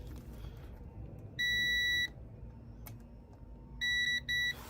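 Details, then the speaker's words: Honda VFR400 NC30 under restoration: a high meter tone lasting over half a second, then two short beeps, shows continuity and a short that was absent a minute earlier. The owner suspects an internal short and will recheck off the bike. "pretty sure I'm not supposed to have a short here."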